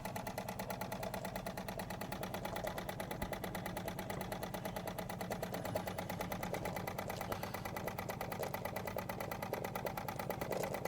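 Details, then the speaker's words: Wilesco D20 toy steam engine running with regulator open: soft, even chuffing at about three beats a second with no knocks; smooth, quiet, normal running. "another Wilesco that runs so smoothly, so quiet."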